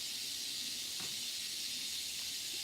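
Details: Livestream just after switching to earpods for the microphone: constant high airy hiss, no rhythm, almost nothing underneath; microphone adding noise, cause unknown.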